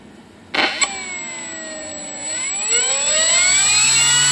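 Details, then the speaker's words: Horizon Hobby Blondie 1.2 m warbird held by hand after a prop swap, with the new prop just tightened onto its adapter, throttle cut off: a clean electric whine rises smoothly with throttle, with no wobble or buzz. The motor and prop run balanced. "One last final test, make sure nothing oscillates or vibrates. I'm going to hold it here this time. Throttle cut is off."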